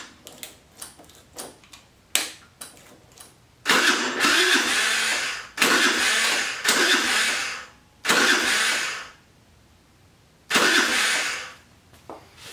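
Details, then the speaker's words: Jin Lun 50cc scooter after carburetor cleaning of a stuck needle and float valve: starter whirs in short tired bursts, five or six tries, never catching; battery low, engine later suspected flooded. "That doesn't sound good. My battery getting low."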